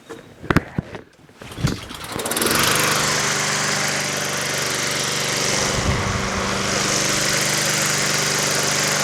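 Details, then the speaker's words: Free Honda HRT216 push mower, untouched from garage, on full choke, previously surging at low idle, fuel treatment just added: several rough coughing pulls before catching at high buzz; hard starting, owner suspects carburetor. "This is very unlike a Honda. Honda usually one pull and it's done."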